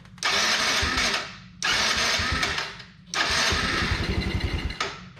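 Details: Can-Am after being submerged in water, started with starting spray: three short cranking bursts catch and die within a second, coughing and uneven; rough running, starter also suspected bad.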